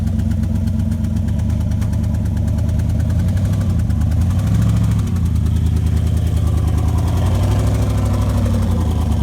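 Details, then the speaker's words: Mustang with 4.8 engine after a dyno run: lumpy idle with a steady missing beat and chuffing pulses, running on 7 cylinders; head gasket blown with its steel ring pushed out of the head, one cylinder at zero compression. "The steel piece is just pushed clean out of the head. Yeah, we got 7 cylinders."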